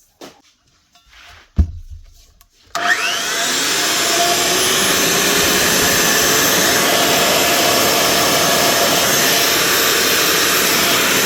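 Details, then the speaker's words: Makita GA9040S 2400W angle grinder with Laserchaser wall-chasing head, after new head bearing fitted: quick spin-up to steady, smooth high whine, no rumble or rattle; normal running, ready for work. "That's her, all ready for work again. The Makita GA9040S with a new bearing."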